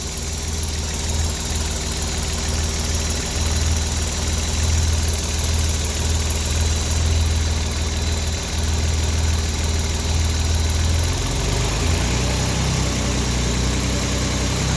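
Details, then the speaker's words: 1964 Austin Healey 3000 Mk3 cold start on full choke after weeks unused, now running on all six, charging, with good oil pressure: steady six-cylinder idle, even low burble, no misfire or knock; normal idle. "sounds pretty sweet to be honest let's see if we got anything on the red counter yeah that's uh responding now [Music] yeah you can tell definitely all six have kicked in now"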